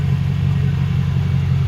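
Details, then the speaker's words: Lexus LS400 1UZ-FE V8 after intake manifold gasket and injector seal replacement; earlier high, rough idle was blamed on injector seals: warm V8 holds a deep, even, smooth idle with no stumble or lope; normal idle. "we will uh it running great now just idle down some more so smooth it's not running rough like it was before"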